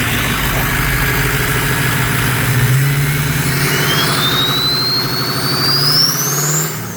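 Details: Ford Mustang ("Strokestang") diesel swap, turbo just installed the night before a truck meet: deep diesel idle rising into light revs with a clean turbo whistle climbing and falling; turbo sounds healthy, normal idle and revving.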